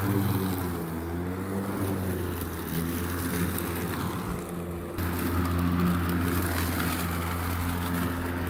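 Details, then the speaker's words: Ryobi 40V 20-inch electric lawn mower after 4 years' use, chewing through leaves and roots: quiet, even motor whir with blade hum holding steady, no rattles or bogging; running healthy under load. "so just listen to that that's roots some hardwood flooring that i was using long story how it ended up here"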